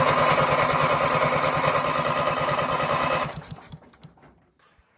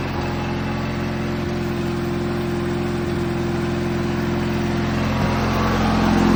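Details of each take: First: Ranch King riding lawn mower, cranking with the inline spark tester not flashing: fast, even starter chugging for about three seconds with no firing at all, then it stops; cranks but no spark. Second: Ranch King riding lawn mower after cleanup, fires right up with headlights working: steady, even twin-cylinder thrum with a smooth throttle rise, no knocks or misses; normal healthy running.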